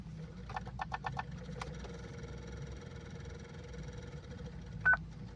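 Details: Hyundai Creta won't start: a few light clicks, then a short high warning beep with no cranking; malfunction alarm and fluctuating dashboard accompany the no-start.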